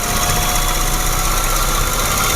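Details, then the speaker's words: Low-mileage, fairly new Nissan Micra held at about 2000 rpm: a rapid, regular knock from the lower engine, loudest on cold mornings and easing but persisting when warm; the engine also runs rough. Cause not yet pinned down. "Dengar enggak, Pak? Ada. Ya, itu. Oh. Itu di bawah, ya? Ya, itu suaranya di bawah, Pak."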